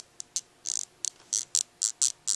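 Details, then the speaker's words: Orange San Francisco (ZTE Blade) phone: short high-pitched squeak with each press of the volume-down button; volume button squeak, said to be a common problem. "you hear that say squeak and that happens every time you press volume down and I don't know whether it's just this one or whether it's a common problem"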